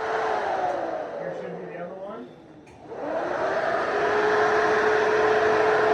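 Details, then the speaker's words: Fox-body Mustang freshly rebuilt, radiator fan checked for pulling air through the radiator, sucking a rag: smooth airy whir that dips briefly then settles into a steady, even rush; normal radiator fan operation. "oh yeah yep sucking sound Wicked sucking off the rag it's sucking the rag it's sucking"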